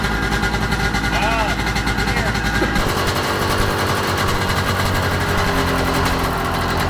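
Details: 1995 Sea-Doo GTX two-stroke running on a flush water hose: rough running with a raspy, chuffing puff on the exhaust pulses from a leak between the exhaust manifold and pipe, later fixed with new gaskets and RTV. Exhaust leak.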